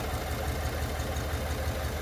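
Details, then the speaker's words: 2021 Chevy Suburban 5.3L V8 with P0300 and P050D codes: low uneven idle lope with a recurring stumble as cylinder 2 becomes deactivated and stops working; cylinder 2 lifters not moving while the rest do. "el cendo número dos pues está quedando inactivado deja de trabajar"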